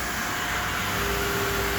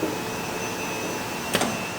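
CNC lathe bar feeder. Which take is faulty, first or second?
second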